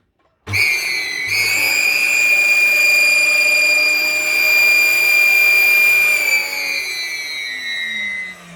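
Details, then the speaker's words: Dyson DC41 vacuum, hoses already cleaned: a piercing, steady high-pitched scream over the motor roar from switch-on that fades as it winds down. Caused by a clogged filter; replacing the filter fixes it. "okay this is a video for youtube for anyone who's got a problem with a dyson DC 41 or any other hoover that makes this noise"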